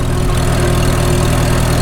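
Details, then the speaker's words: Farmall H tractor after cylinder sleeve repair, warmed up to temperature, driving under load: low, steady even firing with no knock or tapping; normal running. "Engine, I mean. We're up to temp. Make her work a little bit."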